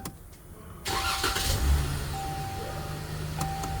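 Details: 2013 Ram with intermittent no-crank no-start, towed in: on this attempt a short starter crank catches quickly into steady idle; cranking functions are handled by the RFH (radio frequency hub) module.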